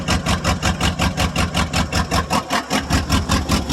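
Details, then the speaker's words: 1995 Ford F-150 5.8 L 351 V8 cold start: idle lurches in slow uneven surges, two to three a second, nearly stalling, heavy smoke, loading up on fuel, cylinders dead; blows steam, owner suspects head gasket or cracked head. "oh oh she runs like [Music] crap it Just Smokes to beat the"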